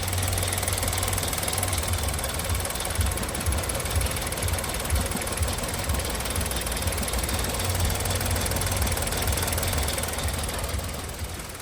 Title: Misfire engine running rough hyundai I20 Solved